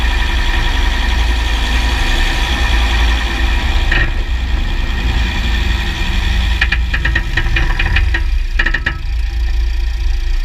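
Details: 2009 Jeep Grand Cherokee WK 3.0 CRD diesel with Quadra-Trac II, GoPro on the skid plate: clusters of sharp metallic clicks as the drivetrain loads and unloads. Driveshafts test OK, front diff bushes replaced and transfer case oil changed; cause still unknown.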